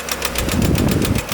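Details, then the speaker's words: Chevy Cavalier run out of oil until the oil pressure light came on: quick, even ticking over a rough idle, steady with engine speed and loudest from the upper end, pointing to a collapsed lifter from oil starvation. "That thing sounds like the upper end. So that actually sounds like a lifter collapse there. Yep, it's right there. You can hear it."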